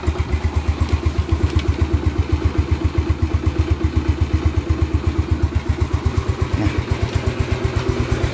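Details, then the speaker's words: 2009 Yamaha Mio Smile scooter after restoration, carburetor and CVT cleaned: light, even single-cylinder idle, steady and smooth with no knocks; engine sounds healthy. "now it's clean and it's good, friends, the sound is already light, yes, the sound is light, we'll try turning it on, okay?"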